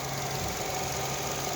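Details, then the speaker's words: Nissan Altima 2.5L naturally aspirated four-cylinder, oil changed every 5,000–8,000 miles, idling: light even valve ticking over the hum; ordinary valve clatter, normal for these engines. "as you can hear you're getting a little bit of valve clatter but that's normal all of them do that"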